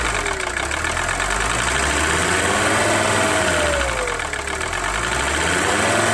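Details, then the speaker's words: 1982 Mercedes 300SD turbo diesel, previously non-running, after fuel system work and a fresh battery: idles on its own with the usual light clatter, about four beats a second, steady and even; normal diesel idle. "yeah keep running sounds all right about what no diesel sounds like"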